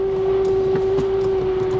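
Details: Minivan with timing-chain engine, 153,000 miles, very dead battery, engine running: loud steady high whistle under the hood; alternator suspected, unconfirmed.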